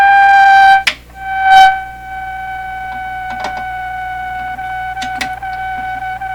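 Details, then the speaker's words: Hammarlund SP-600 receiver with a 5U4 rectifier fitted instead of the specified 5R4, brought up on supply voltage from 80 V, set on CW, no antenna; a steady high whistle with clicks sounds continuously at power-up, cause unknown. "this is a really bad sign what about that smoke plant it's not bad i had this on cw so yeah it's not a bad sign it's kind of a bad sign you shouldn't be making that sound all the time"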